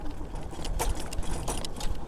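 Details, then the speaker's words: ASAP Zebra 1000W full-suspension e-bike on rough hard-packed trail at about 15–17 mph: sharp metallic jangling rattles with each bump from the locker-type battery compartment. "although it's still really rattly like you can hear the rattle from this Locker type compartment where the battery sits everything was good for the most part"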